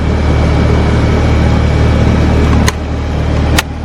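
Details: Newly installed Copeland scroll compressor in a Carrier unit at start-up, drawing about 9.8 A with the fan at 1.2 A: deep steady hum, fan rushing and a couple of sharp clicks, no rattle or labouring; normal running.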